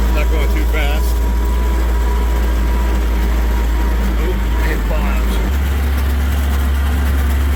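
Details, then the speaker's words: 1941 Dodge WC-6 after transmission rebuild with new seals and input bearing, test drive on a dirt road in second gear; steady low driveline drone, no whine, grind or clunk over bumps, gearbox sounds healthy. "All right, moving along in second gear. Got a few bumps. Dirt road, but everything sounds good."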